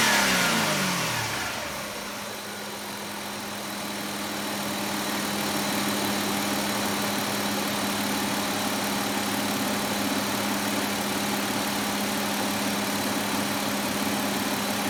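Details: 2004 Hyundai Sonata 2.7 L, code P0335, after crankshaft sensor replacement fixed power loss: engine settles to a steady, even idle with a clean constant hum and no misses or stumbles; normal idle and rev.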